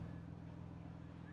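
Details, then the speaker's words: Hummer H2 with a custom aftermarket exhaust: deep, steady, loud burbling idle with a strong low throb from the tailpipe. Otherwise normal running. "so I got a custom exhaust I forget who is made by but this thing's loud"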